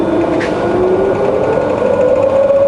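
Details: Fully rebuilt Bridgeport variable-speed milling machine, spindle in low range reverse rising from 120 to 280 RPM: quiet smooth whir climbing in tone, no knocks or grinding; gearbox runs clean.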